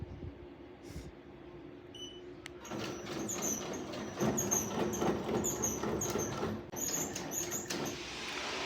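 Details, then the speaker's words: Bai embroidery machine running: sharp high squeaks repeating about three and a half per second in step with the machine; source of squeak found but fix unknown. "don't know what to do at this point but that is the cause of the noise right here"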